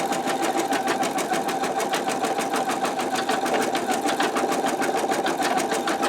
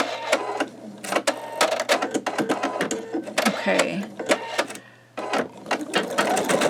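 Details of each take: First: Embroidery machine stitching at medium speed (one notch above lowest) while testing a 10.2 x 8 inch MagnaHoop magnetic hoop; sound rises slightly from the slower setting, with quick, even stitching chatter and no knocks or catches; normal operation. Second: Embroidery machine stitching with a 10.2 x 8 inch MagnaHoop magnetic hoop: fast steady stitching chatter with faint popping; owner unsure if stabilizer not tight enough or just the stitching.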